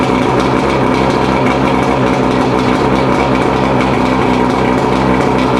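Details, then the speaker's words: Mercury 115 two-stroke outboard after a rebuild for a loud hammering noise at idle (severely worn piston; parts combined from a second engine): steady fast even burble at idle with no hammering or knocking, normal after about half an hour of running. "So all in all, we ran the engine about a half hour. Seemed like it's doing just fine."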